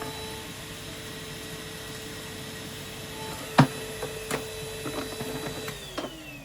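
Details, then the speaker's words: Street-find Numatic Henry HVR200 vacuum cleaner on a spare Numatic base with filter: even motor hum, then scattered light clicks and rattles from about halfway. Loose plastic bits blowing around inside; motor okay. "there's a bit of plastic blowing around, that's all it is."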